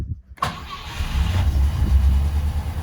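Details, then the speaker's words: 1972 Rover P6 3500 V8, off road for 12 years, after oil change with thinner oil: choke set, starter turns briefly, catches at once, steady even low idle; oil light goes out, oil pressure builds, lower than before. "That went out. And we are building oil pressure. Not as high as before, of course, but this is thinner stuff. But now we know it works, it runs."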